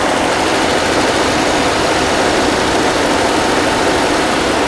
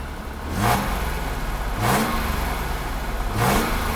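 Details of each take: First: 1982 Mercedes-Benz W126 280SEL after fuel distributor rebuild, fuel pump replacement and excess oil removed, cold start: steady even hiss-and-hum at cold idle with no surging, misses or hunting; idle quite stable. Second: 1982 Mercedes-Benz W126 280SEL after fuel distributor repair and fuel pump replacement: three quick revs about 1.4 s apart with a buzzy vibration on each; broken exhaust pipe resonating against the car body, needs repair.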